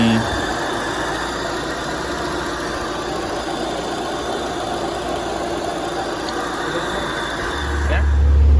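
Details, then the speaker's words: Peugeot 306 after top overhaul and head gasket replacement for overheating on long drives, engine warmed up after running a long time: steady even idle, smooth low rumble, no misses or knocks; temperature relatively normal, healthy idle. "Oke ya, jadi mobil ini sudah di running sudah dihidupin lama. Kayak sih bagus ya, tidak ini."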